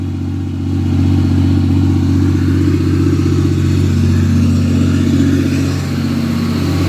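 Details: Cummins diesel truck (Bertha's twin), freshly rebuilt, at raised idle at night after camshaft break-in: deep, steady, even drone with no knocks, ticks or misses; running smooth and healthy.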